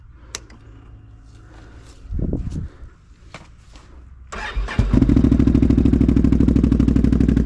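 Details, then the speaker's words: Can-Am XMR 570 with new RJWC Mud Edition exhaust, cold after stormy weather: cranking bursts and stumbles before catching, then rough even beat; hard cold start, owner suspects valves need adjusting. "it's been storming not too good when it's cold but I think these the valves adjusted because whenever you first started up as you can see I don't want to start"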